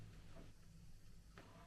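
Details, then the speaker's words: Thrifted record turntable being tested after lift, speed and reject checks: faint short whirring of small gear mechanism engaging, smooth with no grinding; auto-return works normally. "there you go AO return Works beautifully and in case you wonder why I said there you go before it started going up I could hear it starting to work already"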